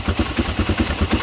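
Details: 1996 Honda TRX300EX ATV after restoring spark by reconnecting neutral/reverse interlock switch wires: even single-cylinder thumping about five beats a second, steady and unbroken; engine idling cleanly.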